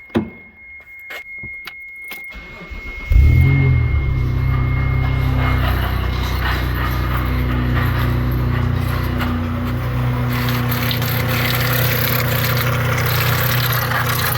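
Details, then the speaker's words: 1992 Dodge Stealth with both timing covers off and a worn-looking timing belt, engine started to confirm the noise: after a few cranks it fires and idles with a steady rough growl from the front of the engine; a failing water pump. "Okay. Alright, so it is definitely that water pump down in there."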